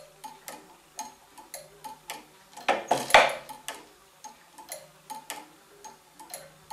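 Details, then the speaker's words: Gents waiting-train tower clock mechanism (circa 1918) synchronised by a Gents master clock: even, crisp ticks about three per second with a brief clatter as the master signal restarts it, each pendulum swing advancing the escapement one tooth; normal. "now the master signal comes and once again each pendulum swing moves the escapement one tooth"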